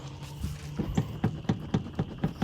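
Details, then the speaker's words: 6.0 truck after cab bushing replacement, doors rattling: sharp hollow clunks about four times a second over a low hum; door strikers' plastic coating worn off, to be loosened and pushed back instead of taping; door rattle from worn striker. "our door strikers you can see these have like a plastic coating and it's all worn off right here so we're gonna try to loosen these push them back and see what happens"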